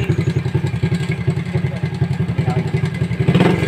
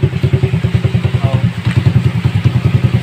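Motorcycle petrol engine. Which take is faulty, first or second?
first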